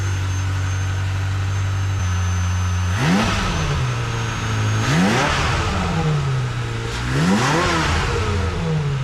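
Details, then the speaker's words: Ferrari 355 after repair with an updated fuel line assembly: steady idle, then three sharp blips that rise and fall cleanly with no misfire, exhaust leak or rattle. Healthy, smooth revving. "That's smooth. Very smooth. That's the way a Ferrari should sound. Like a bumblebee."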